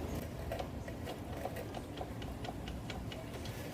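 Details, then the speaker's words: Motorcycle semi-floating front brake rotor, bars turned lock to lock while stationary: light, sharp clicks about twice a second as the rotor shifts within its designed gap on its buttons. This is normal. "so that's it just this little movement of the semif floating rotor is what makes that click noise"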